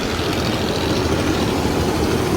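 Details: Chevy S10 4.3L V6 after reconnecting the mass airflow sensor: steady low engine rumble running evenly without misses or knocks; runs normally, though a clogged catalytic converter is briefly wondered about.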